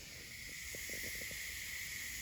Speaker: I do have another leak here. I plumbed it directly into my sandblasting cabinet and where the hose attaches on the inside.